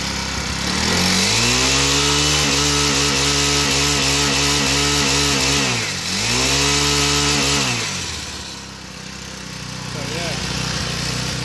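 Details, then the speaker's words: Repaired pocket bike at full throttle: revs cleanly to a steady high buzz held flat at the governor limit, then drops back smoothly; running normally after repair. "As you can see, I'm gonna give like all the way, and you will hear the governor."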